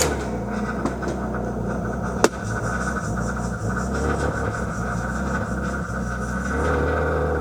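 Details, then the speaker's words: BMW E36 at idle in the driveway, stalling after the drive home: with no throttle input the idle wanders and surges on its own; owner suspects a bad throttle position sensor, not confirmed. "I'm not touching the throttle. [laughter] I am not touching the throttle. It's kind of just got a mind of its own right now."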